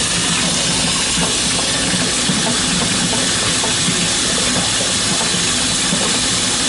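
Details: Boiler oil burner firing after 40-gallon Megastor storage tank replacement, high limit set at 180, heating the tank: steady even roar with airy hiss, no pulsing or rumble; firing cleanly, normal operation.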